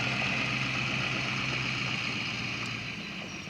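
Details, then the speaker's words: 2007 Ford F250 6.0 Power Stroke diesel with an intermittent rough idle, warmed up after a Seafoam treatment and half an hour of hard driving. Steady, even idle with a smooth beat and no miss or stumble. Normal warm idle. "Or, so it sounds really good, but it normally does right now. You know, after it warms up, it pretty well clears out."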